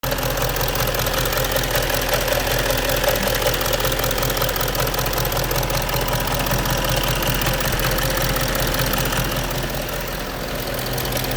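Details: Audi A8 4.2 TDI diesel: regular light knock about two to three per second over the idle, from the right rear part of the engine; engine knock, source not pinned down.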